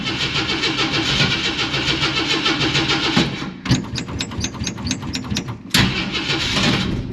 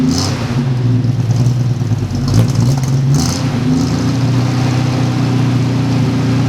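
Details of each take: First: 1946 Studebaker M5 pickup with AMC 258 straight six, good battery, cold spring start at 70°F: long cranking, uneven chuffing, then catches and revs; cold-blooded carburetor makes hard cold starting. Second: 1946 Studebaker M5 pickup with an AMC 258 straight-six, started for spring after storage: low, even idle with a quick rev blip that settles back smoothly, no knocks or ticks. The engine runs healthy.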